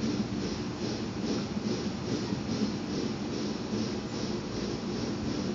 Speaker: I'm increasing the opening on the fuel valve. You can audibly hear the hissing, which is typical for these diffusing type burners.